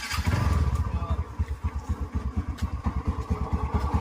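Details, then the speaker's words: TVS Ntorq 125 scooter brought in for full engine work, started and idling with loud, uneven low chuffing and extra mechanical clatter; excessive engine noise, cause not yet found, owner also reports a gearbox issue. "பார்த்தீங்கனாலே தெரியும். Full and full sound தெரியுதுங்களா?"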